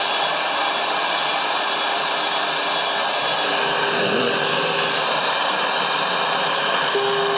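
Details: Vintage Motorola TP81BN transistor radio during FM front-end alignment at 108 MHz, trimmers peaked on weak signal; loud even hiss with faint tone creeping in, very sensitive adjustments, seems too sensitive; owner suspects failing converter transistor.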